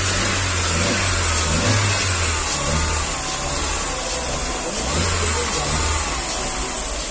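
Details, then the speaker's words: 2009 Astra revving after faulty fourth injector replaced with new Bosch one; engine round, slight tremor normal, steady drone with no rattle or metallic ping under throttle; previous random knock gone; normal revving, no pinging. "tá ó o motor que redondinho essa tremidinha é normal essa tremenda normal"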